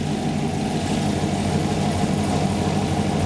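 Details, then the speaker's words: LTx-swapped Trans Am with 6L80E transmission idling while warming up, upper-hose coolant around 196°F: steady low idle with even whooshing fan rush, no rattle or surge; low-speed cooling fan kicked on right on target, normal. "oh we got low speed fan oh man that was like right on the"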